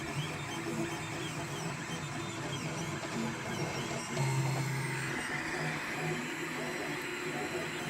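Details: Grinding noise during printing from a Monoprice Select Mini 3D printer, bought a day before, starting on its third print: humming, shifting motor tones with a rough, gritty grinding edge under the moves.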